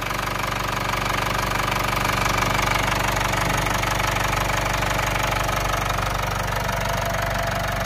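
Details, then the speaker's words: Mitsubishi Outlander diesel idling after timing cover resealed (sealant cured overnight, fresh oil), cracked exhaust manifold: steady clatter about three beats a second, no metallic rattle from the timing case. "There is absolutely no noise now coming from that timing case area."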